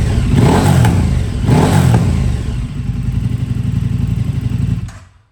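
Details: KTM RC8R with a swapped-in 2020+ 3rd-gen 1290 Super Duke engine and electronics, first start: deep throaty engine blipped twice, settling into a steady even throb before shut-off; healthy idle and revving.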